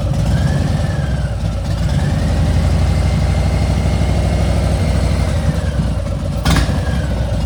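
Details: Harley-Davidson Milwaukee-Eight V-twin idling and revving lightly with a thin whine rising and falling with engine speed; quiet when new, 2–3 times louder since new pipes and dyno tune at 3,700.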